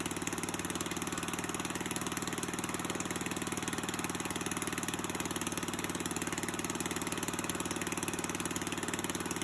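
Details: Old Murray push mower with a 3.5 hp Tecumseh engine with solid-state coil, after a carburetor rebuild, hand-cranked: small single cylinder running a fast, very regular beat with no stumbling; healthy.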